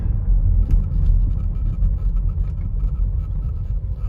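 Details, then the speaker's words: 2014 Mercedes-Benz GLK250 BlueTec diesel, driving over bumps at low speed: only even road rumble, no knocks or clunks; earlier intermittent low-speed clunk (suspected strut or strut bearing) now gone, suspension quiet. "Nothing. Perfectly quiet. So anyway, yeah, that's kind of interesting."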